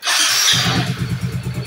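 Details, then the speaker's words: Yamaha Soul GT 125 / Mio M3 scooter after installing a steel-lined cylinder block and reassembling the head: after a hissy start it settles into an even quick putter with no knocking or rattle and no exhaust smoke. Smooth, healthy idle. "Kita bisa nilai suaranya sudah halus dan tidak ada suara yang bising dan knalpot, sudah tidak ngabul ya."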